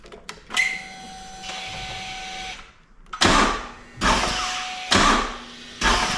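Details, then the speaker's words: Brand-new 2024 Harley-Davidson Road Glide CVO ST, about 500 km, after a dead battery was recharged: four short bursts of strained cranking, each cutting out with a click as it reaches compression and throws out the starter, never catching. No warning lights; owner suspects an electrical fault. "So the bike goes up to compression and then throws out the starter motor."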